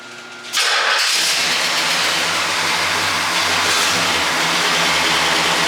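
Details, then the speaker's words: Pontiac GTO V8 just after tune-up with new spark plugs, wires, boots and oil change: engine settles into a loud idle with a slightly uneven beat, suspected misfire on one cylinder, possibly number seven's boot not fully seated, unconfirmed. "sounds like I might have a Miss on one so if I go around and push all the boots on one more it's number seven back here"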